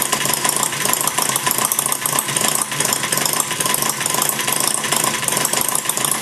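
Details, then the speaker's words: Maier TA4 after tuneup, warm, idling low with the flywheel carrying it through: quick, even popping, every cylinder firing in turn with no skips; normal idle. "an idol pretty much lower than that flywheel carrying through it's a nice little idol there you know it's running real uh firing every time"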